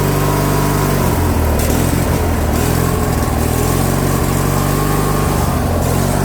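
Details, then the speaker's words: Craftsman lawn tractor, Briggs & Stratton opposed twin with non-adjustable carb, before repair: engine note keeps drifting up and down at steady throttle, never settling; surging from clogged carburettor jets, and it died on its own when throttled down. "I'll start it up so you can hear that surging then I'll show you the solution to stop that surging"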